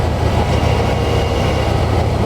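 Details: Car with power steering after its ball-joint kingpins were freed with penetrant, greased and worked, and the system was bled of air: a steady low engine rumble while the wheel is turned, with the former power steering pump whine gone.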